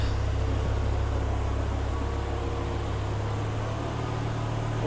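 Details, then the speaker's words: BMW E92 M3 with swapped S85 V10, MaxxECU and DCT gearbox, first start after remote mapping; cold, just started, before warm-up. Deep, even idle drone holding steady with no misses; slight rattly, diesel-like clatter is the camera, not the engine. Normal smooth idle. "have quite a smooth running engine. For some reason on camera it does sound like a rattly old diesel, but it's definitely not, I can assure you."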